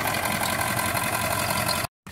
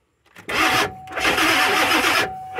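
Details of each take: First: Ford E350 7.3 Powerstroke diesel van finally running after long sitting and injector O-ring replacement: steady even diesel idle clatter, no misses or knocks; very smoky, no oil pressure reading, owner suspects blown oil pressure sensor, purging high-pressure oil reservoir. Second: Ford E350 van with 7.3 Powerstroke diesel, long sat after injector O-ring replacement (oil was getting into fuel), with ground/electrical issues and burnt wires: six short one-second cranking bursts, starter spins but engine never catches; weak batteries suspected, not confirmed.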